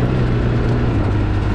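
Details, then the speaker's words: Polaris RZR 800 after repairing bad rod bearings (rod knock): smooth, low, steady engine drone under load on a test ride, no tapping or knock; runs great after the fix. "we went to took it out for a ride and it runs great and it's super awesome my wife liked it too"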